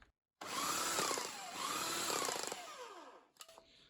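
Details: Bosch AHS 40-24 electric hedge trimmer, salvaged from a skip, after cleaning and lubricating the rusty blade and retightening its screws: motor spins up in two short even bursts with a clean buzzing drive and free-moving blades; trimmer runs normally.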